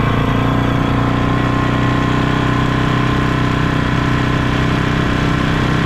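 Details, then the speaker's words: Polaris Sportsman 500 on its first test run after a top-end rebuild: steady single-cylinder running with a loose, rattly clatter from the engine, though it runs well with power. Cause not found; owner suspects the CVT clutch chattering. "it seems to be running good but I got this crazy like clattering noise coming from the motor"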